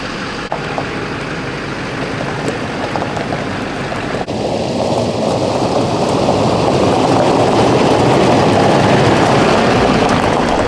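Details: Duramax diesel truck on test drive after fuel pressure problem, earlier low at idle and dropping when revving, blamed on the fuel pressure relief valve. Steady drone climbs smoothly pulling away, no stumble or surging; healthy under load.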